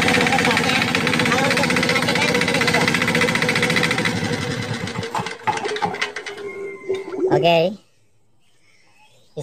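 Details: Crown CDP 80 3-inch diesel water pump, fuelled with diesel, oil added and primed with water, started after finding top compression and dropping the decompressor: strong, steady diesel clatter for several seconds, then slows and shuts off; healthy, pulls strongly.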